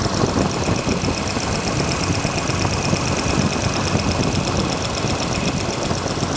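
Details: Freshly revived engine running with valve cover off, low coolant, oil pressure building, while checking timing and setting rocker lash: busy rapid ticking chatter over steady idle; one rocker chattering from excess lash, needs adjustment.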